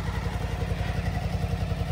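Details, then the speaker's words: Suzuki DL1000 at first start after fitting a LeoVince L12 exhaust; steady, even low burble at idle with a soft regular pop and a slightly deeper tone, engine running smoothly. "troszeczkę może głębszy dźwięk jest no pyrkanie słychać"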